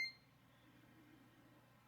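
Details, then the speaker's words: Samsung WA55A7700AV/US washer control panel gives a single short high beep, then near silence, as the spin selector (five settings from no spin to high) is set to no spin. "And then the spin goes 5 settings from no spin up to high, and we'll start it."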